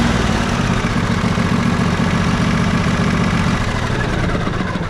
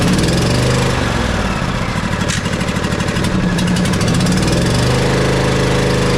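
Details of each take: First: Riding mower twin after valve adjustment, with the compression release confirmed good, fixing slow cranking. Steady, even full-throttle drone on both cylinders with no misses or knocks; it smokes after one cylinder sat unused, and the plug was carbon-fouled. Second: Twin-cylinder riding mower engine after valve adjustment running on one cylinder: loud lumpy uneven putter with hollow beat; no spark on one side, suspected bad ignition coil; that spark plug found completely loose.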